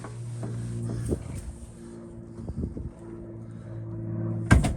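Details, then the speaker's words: 1965 Chevy Nova, engine idling, after adjusting the shifter linkage's sliding nut upward at the sloppy, worn frame pivot joint: a few dull clunks as the lever moves through the gates, now dropping cleanly into park; shifter problem fixed, pivot still worn. "Oh yeah, 100% better. That's 1000% better. Okay. Okie, shifter problem fixed."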